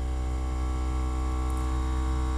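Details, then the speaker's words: Newly built backyard 260 electric ride-on locomotive: with the box power and compressor switches on, the air compressor runs with a steady low electric buzz and even hum as it pumps up air. No knocking or rattle; normal operation. "this top switch over here turns on the electric for the Box the second switch turns on the compressor you hear the compressor"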